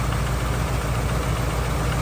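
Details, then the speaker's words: 2000 Ford F-250 Super Duty 5.4L Triton V8, automatic, 142,000 miles, just started: low, even idle with a steady rumble and no knock or tick; sounds healthy, though likely due a tune-up. "Sounds good. I bet it needs a tuneup."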